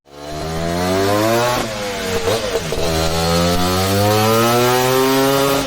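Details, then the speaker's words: Vintage two-stroke race bike, not run for about 8 years and recently set up on the dyno: crisp, even note pulls steadily to high revs with a brief dip and recovery; running well and making good power. "But it sounded pretty nice, and it's producing good power for what is a very vintage setup by race standards."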